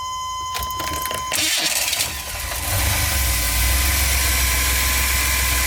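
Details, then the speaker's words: GMC Safari 4.3L Vortec V6 with code P0305 (cylinder 5 misfire), before the ignition tune-up: cranks, catches, then settles into a lumpy, stumbling idle with a recurring miss. One cylinder dropping out. "A Little Rock we got the light on and as it runs for a while you can really kind of hear the Miss oh I can feel it let's just go back out one more time you kind of hear it underneath there it's misfiring"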